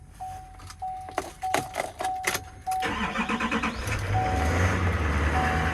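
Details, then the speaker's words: 2018 HD diesel with 9-foot bed at auction: key rattles, short crank, then the diesel catches and settles into a firm, even idle clatter; normal healthy start and idle. "I hear that diesel. Big cab. Not too bad."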